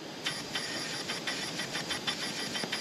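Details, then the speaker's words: 2011 Hyundai Elantra, cam-out leak-down test on cylinder three showing almost 90% leakage; steady high hiss with faint pulses heard from the intake, air leaking past bent intake valves from piston-to-valve contact. "we have like almost 90% leak down and I can actually hear it coming out of the intake here out of this intake"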